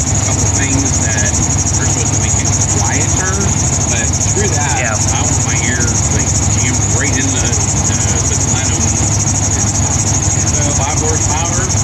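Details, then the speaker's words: 2000 GMC K2500, Gen 6 Vortec 7.4L 454, idle after new plugs, a cold air intake and a stalling fix. Compression is about 150 psi on all cylinders. Belt silenced with WD40: steady even hum, no squeal or exhaust leak, normal idle. "fine we had it and as you can hear I silenced up that belt and it is quiet as a church moues under here not even an exhaust leak nothing"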